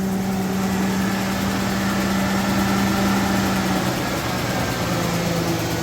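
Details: Ford F-350 with replacement 6.2 V8 after the original engine blew, first start: steady V8 idle with a faint uneven puffing tick over the rumble, a small exhaust leak.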